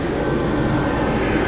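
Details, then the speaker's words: Seeder fan on a farm seeding rig running smaller seed: constant whooshing howl with a steady mid-pitched tone, no rubbing or wobble; fan spinning evenly, normal. "So as you can hear, my fan's howling away."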